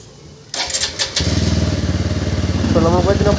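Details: TVS Apache RTR 160 4V with a starting problem, started after fitting a spare relay; short crank, then catches at once and settles into a steady, even idle thump: normal engine start.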